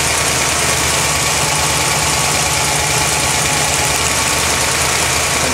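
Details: 1980 Corvette at idle: faint fast light tick in the engine noise, owner thinks plugs may be arcing but pulling plug wires makes little difference; engine ticking at idle, cause unknown.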